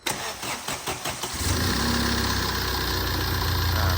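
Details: Tata 2.2 diesel, 150 hp, after an engine rebuild (new crankshaft, bearings, oil pump, timing belt, clutch) for a no-start and noisy running: cranks briefly, starts easily and settles into an even, steady idle.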